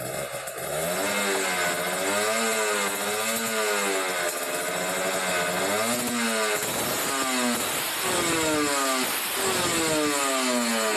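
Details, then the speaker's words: Kawasaki Ninja RR two-stroke, Mikuni 28 carburettor with the air screw opened three turns: crisp blips, revs hanging a touch, and a thin dry crackle at the bottom. The mixture is running lean. "kayaknya kekeringan ya teman-teman"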